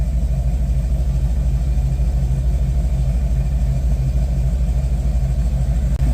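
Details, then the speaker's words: Chevy Caprice on ACES fuel injection, running on a makeshift fuel pump setup: low, steady idle rumble at about three beats a second with no knocks, and the previous noise is gone. If it returns on the stock fuel system, owner suspects the fuel line or one other part. "But what I do know is the noise that we were hearing, we no longer are"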